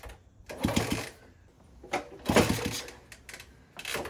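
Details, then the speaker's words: 1964 Honda CT200 Trail 90 that sat 50+ years, first kick-start attempts with no chain: kicks about every two seconds, each a brief churn with compression that never catches. There was no spark; a rectifier and coil were later replaced. "Learned a lot more about these, just kind of how the electrics work. Was not getting spark, so I bought a new rectifier, which basically converts the AC voltage into DC."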